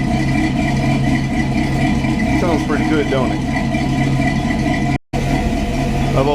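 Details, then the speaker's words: Old carbureted vehicle warming up after a December cold start, choke working after three pumps of the pedal: an even, slightly raised idle with a steady low hum and no knocks or misses; normal fast idle on choke. "Sounds like I better go back there and kick it off high idle."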